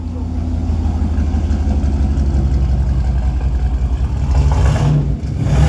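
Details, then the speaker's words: Vehicle "Rocky" with stock turbo, first start after fitting new TTA Performance 2.5" straight-pipe exhaust (no mufflers, no cat), fresh oil: low even rumble, slightly rappy and rich, small blips near the end, quieter than expected; normal idle. "Good to go. Sounds like all the other ones. As you can see, it's not very loud for not having any mufflers, any catalytic converter on it. It's all pipe."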